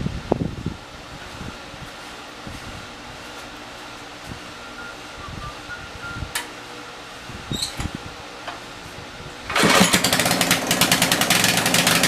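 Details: Tecumseh 4,000 W generator, 8 hp engine, small drill load; clicks, then catches and runs at steady even roar with exhaust-smoke fan rush. Normal running under light load, adequate power.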